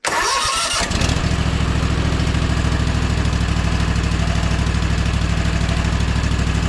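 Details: Gravely ZT HD-48 zero-turn mower, Kawasaki FR691V V-twin, after a 100-hour service with oil, air filter and spark plugs changed. Quick crank, catches in about a second, then a steady, even idle with no misses or knocks; no leaks.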